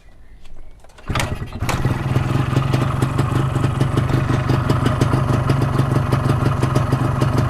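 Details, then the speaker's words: 125Z two-stroke that has been to the workshop three times, just started after the carburetor was refitted: a fast, busy ring-ding idle sitting too high; the mechanic says the ignition timing is high and retards it. "Timing dia tinggi ni geng. Jadi kita adjust timing dia rendahkan."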